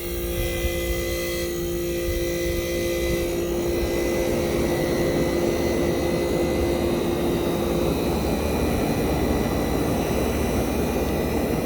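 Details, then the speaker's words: 1965 Fedders Weatherwheel air conditioner switched on high cool, mic near the Tecumseh AJM compressor: loud, mean-sounding start-up, a steady rushing hum over a strong low drone that settles after a few seconds; normal compressor start-up, unit soon blowing cold. "So it sounds mean when starting. This is a mean sounding Tecumseh AJM compressors."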